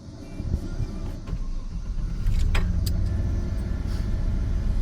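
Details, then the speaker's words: First start of an auction-bought farm truck, bought sight unseen and never heard run: engine catches and settles into a steady, deep, even rumble with no knocks or misses; healthy idle. "We got some work ahead of us here, but let's go ahead and start it up. All right, firing"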